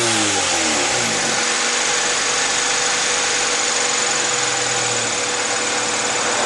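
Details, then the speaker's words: 2001 Honda CR-V after replacing a distributor rotor, the cause of the misfire: revs fall smoothly from a blip into an even, steady idle with no popping or missing. "yeah that was the problem there's no backfire it's perfectly fine it's running perfectly idling perfect"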